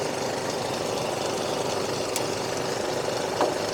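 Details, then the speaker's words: 2007 Chevrolet Colorado 2.5 LS diesel, about 764,000 km, stock engine: starts on the first crank and settles into a steady, even idle clatter with no misses, knocks or surging; normal idle. "นี่สตาร์ทติดเลยนะครับชึ่งเดียวติดเลยนะครับชึ่งเดียวติดเลยผมบอกเลยว่าคันนี้เครื่องดีนะ"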